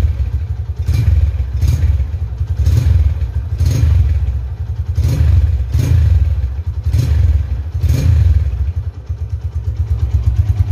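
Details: 2011 Tiger Revolution (Tirev) limited edition, 10,000 km: eight or so sharp, clean throttle blips about a second apart over a steady deep idle that returns evenly; aggressive revving, healthy engine.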